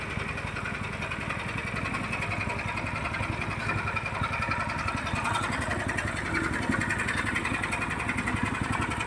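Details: Horizontal dough mixer driven by a 9 HP General Powell CX 270 petrol engine, test run on half a litre of fuel: steady, even low chug turning the mixer, no knocks or misses; described as smooth yet heavy because the engine is large. Normal running.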